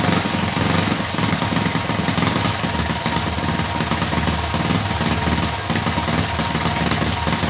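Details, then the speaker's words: Predator 212cc single-cylinder engine, freshly built from the box, runs after a flooded pull start: ragged, uneven running with stumbling firing pulses; builder can tell the carburetor jetting is way out of whack and plans to open the carb. "I do want to open the carburetor up, take a look at the jetting, because I can tell it's way out of whack. We got to mess around with it."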